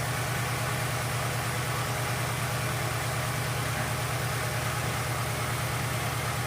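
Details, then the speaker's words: Ford Fiesta 1.0 after impact to the engine underside: uneven loping idle with a steady stumble, pronounced misfire; one cylinder dead (cylinder three shows no coil charge time on scope), sounds weak. "já no ligar o carro a gente nota que ele tá com uma falha bem acentuada tá um estão provavelmente não tá funcionando um cilindro"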